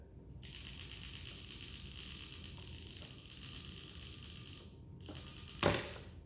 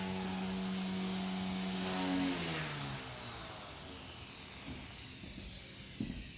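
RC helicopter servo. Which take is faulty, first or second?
first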